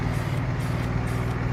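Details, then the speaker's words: Nissan 350Z idling unrevved for about 7 minutes with an engine oil flush added: faint quick tick over the low rumble; dealership blames failing valve lifters, and the flush is an attempt to quiet them. "You can hear that ticking noise, which is kind of freaking annoying."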